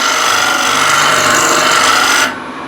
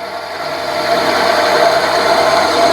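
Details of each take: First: Chestnut on a wood lathe, end grain: a harsh, steady rasping scrape with a thin ringing edge and vibration. A dull scraper rubs instead of cutting, taking only a little dust under heavy pressure and nothing with a light touch. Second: Woodturning lathe at 650 rpm with a sharp skew chisel on a thick blank: smooth, steady shearing hiss with no chatter or catches; clean cut leaving a very nice surface despite the slower speed.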